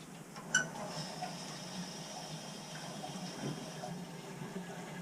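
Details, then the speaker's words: Weil-McLain boiler on a no-heat call with no circulation and no air scoop: gushing, gurgling water with spitting bursts as trapped air is pushed out of the heating loop. Air is being purged, and circulation and heat return afterward. "so I want to definitely say this things get purged whatsoever I hear a lot of air"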